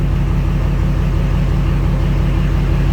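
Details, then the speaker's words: 2014 Ford F-350 6.7 Powerstroke diesel, previously a no-crank/no-start with no communication, now started after repair without new parts; steady even low diesel rumble at normal idle, no knocks or misses; dash shows no low oil pressure or overtemp warnings. "The ignition on. No more low oil pressure, engine over temp, any of that stuff. Just passenger door ajar."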